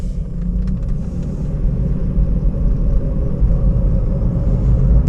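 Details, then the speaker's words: 2011 Toyota Prius on a test drive: deep steady rumble under road noise from the driver's side, growing with speed around 40–50 mph and louder when steering one way, pointing to a worn driver's side wheel bearing. "I can hear Rubble noise already got a lot of noise and listen to this is more like a driver's side go drive faster so it will kill me the bearing or not"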